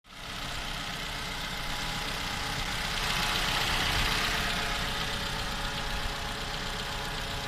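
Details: 2015 Toyota Camry 2AR engine, built December 2015, 16,500 km, cold idle; steady fairly even tapping about four a second heard when cold and for the first 10 minutes, engine knock of unknown origin.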